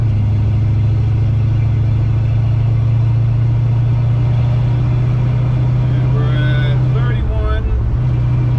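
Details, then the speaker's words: 1970 Dodge D100 after a rear end swap, cruising at 50–55 mph: steady, even low drone with a settled, unstrained engine note. RPM still seem high; normal highway cruise. "all right let's see what 55 sounds like we're at 50 54 55 rpm sound a lot better"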